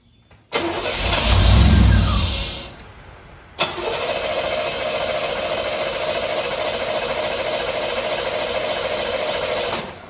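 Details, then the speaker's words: 1989 Firebird Formula 350 tuned port injection, eight injectors, 10,000 miles, long stored: short crank, catches and runs roughly seconds on starting fluid, dies; fuel at rail, spark present, fuel not entering cylinders. "Well, we know we're getting fuel up to the rail. We know that. But we know it's not going into cylinders. We know we're getting fire because it's running."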